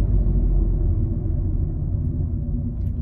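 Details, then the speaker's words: 2014 Opel Corsa D 1.4 after new front brake discs and pads, braking from about 80 to 20 km/h during bedding-in: road rumble with no grinding or squeal; old-part grinding noise gone, normal braking. "while I'm at it I think you can hear pretty clearly that that noise that was occurring when I was breaking with the old part is well and truly gone"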